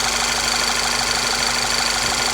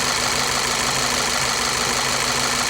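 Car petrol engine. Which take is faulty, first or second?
second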